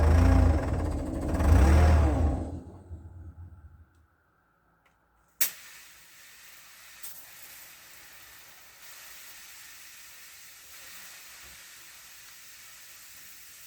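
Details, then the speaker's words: Old abandoned CAT excavator, rebuilt hydraulic pump, engine first start in months on cold day: loud rushing hiss about two seconds then quiet; a rubber pipe in the braking/hydraulic system burst, needs fixing. "that big hiss that we may have heard is [Music] this pipe here which seems to be it's just a rubber pipe as part of the um breaking system"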